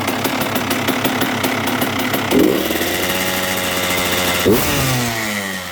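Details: 2002 Honda CR125R two-stroke with Wiseco crank, after a new OEM cylinder top end: crackling idle and sharp revs with a low gravelly growl underneath; worn transmission gears found, main bearings or crank suspected, not confirmed.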